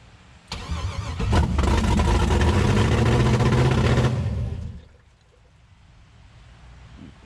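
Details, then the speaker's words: LS-swapped Chevy S10, first start after the swap: V8 fires on the first crank, revs strong and steady, then drops cleanly. Transmission fluid was leaking afterward. Normal first start. "hear that [ __ ] thing started right the [ __ ] up holy [ __ ] lucy got scared"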